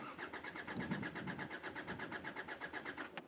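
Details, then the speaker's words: Hyundai Santa Fe crank no start, still unresolved after new injectors: the starter cranks steadily at about two and a half turns per second but the engine never catches, scan tool showing very low fuel rail pressure; a pressure-valve bypass test follows. "we can see we're only getting very low fuel pressure"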